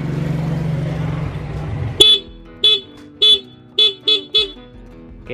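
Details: Honda Beat scooter horn after turning the adjusting screw on its back for the loudest sound: six short, loud toots, each a clear steady bright tone with no rasp; horn strong and healthy.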